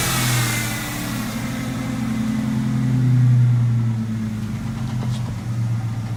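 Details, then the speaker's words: 2000 Ford Mustang V6 just after a Windstar intake swap with fabricated IAC plate, throttle bracket not yet finished; engine pulls through a couple of rev sweeps and settles with an even firing note, no knocks or misses, maybe coughing out some dirt; normal revving. "Sounds a little bit better. I don't know if it's coughing out some dirt, but we'll touch base with the rest later."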